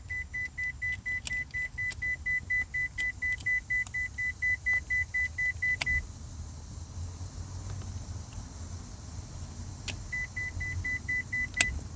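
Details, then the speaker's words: 2001 Ford Escort ZX2 idling: steady high beeping about twice a second that pauses and resumes, caused by the headlights being left on. Headlights-on warning chime. "Oh, it's cuz the lights are on. Yeah. Sometimes sometimes my own stupidity Yeah, that was that was just cuz I had the lights on."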